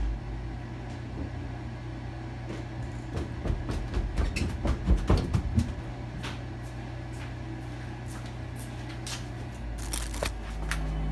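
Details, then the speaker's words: 2009 Amana 95 two-stage variable-speed gas furnace starting in first stage: a low steady hum under a cluster of sharp clicks, the igniter coming right on, then quieter running; normal igniter startup. "Hear that click? That should be the igniter. Yep, it's coming right on."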